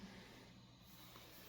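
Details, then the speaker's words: Roland JC-120 Jazz Chorus guitar amp, 1975 design with discrete transistor circuitry and no noise reduction, idling: steady loud background hiss with faint low hum, noisier than modern JC-40/JC-22. "but there's no modern uh noise reduction technology. You get this loud hiss because it's a 1975 product."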